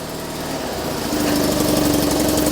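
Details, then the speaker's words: 2001 Ford AU Fairmont, battery weak after months sitting: cranks slowly, then catches, picks up and settles into a smooth, steady idle without stumbles or knocks; normal start and idle. "Months of inactivity and she just starts straight up."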